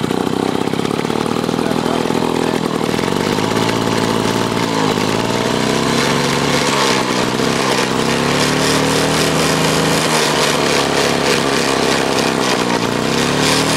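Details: Clinton two-stroke lawn mower engine removed from mower, carburetor gone through, running on bench: busy buzzy note rising and falling with throttle, firing cleanly; normal two-stroke running.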